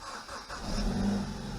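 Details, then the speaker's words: BMW 320i first start after replacing the Valvetronic actuator motor (VDO A2C59515104) and clearing fault codes: quick crank, fires instantly and settles into a smooth, stable idle; healthy start. "Alors déjà, elle démarre au quart de tour, donc ça c'est plutôt une bonne chose. Le ralenti me paraît stable."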